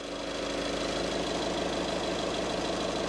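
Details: 2013 VW Caddy 1.6 diesel idling after a fuel filter change: even diesel clatter at about three beats a second with no misses or hunting. Healthy, normal diesel idle.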